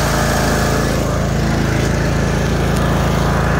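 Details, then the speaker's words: Craftsman 42-inch zero-turn riding mower V-twin with 380 hours, recently fitted with new spindles and pulleys: steady low idle with an even beat and no stumbles, knocks, vibration or smoke. It runs smoothly. "fire it up show you what she's got 380 hours run super smooth no bad vibrations even a low idle no smoke no nothing"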